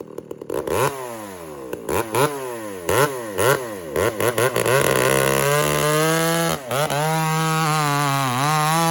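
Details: Walker-ported 850 chainsaw, 32-inch bar, freshly hand-filed chain with rakers lowered, running rich: revs up and bogs slightly on each cut, then screams steadily at full throttle; cuts cleanly.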